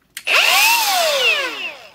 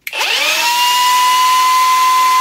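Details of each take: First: Milwaukee M18 Fuel die grinder, reassembled after its coupler was checked: a short trigger pull gives a clean high whine that spins up and winds down smoothly with no rubbing; a healthy run, though rubbing later returned. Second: Milwaukee M18 Fuel die grinder, new, with more than one battery tried: steady piercing high whine from spin-up to coast-down with a rough rubbing edge and a burning smell; rotor rubbing inside the housing.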